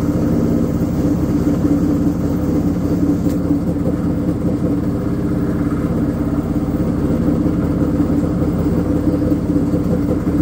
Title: Washing machine noise